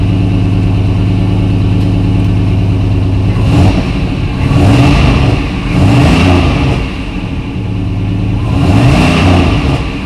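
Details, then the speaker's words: Engine first start, batteries hooked up, fuel system on, fuel pressure present; picks up with a few throttle blips and drops back to an even idle, no knocks or misses, sounds healthy; normal running. "okay well that sounds healthy sounds healthy"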